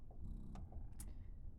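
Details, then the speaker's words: Spectra S2 breast pump on its lowest speed setting: soft, low, purring motor drone with a steady, consistent cadence and no rattles or strain; normal pumping cycle. "I actually have it on the lowest setting now, and it is just a nice, like, consistent cadence to it."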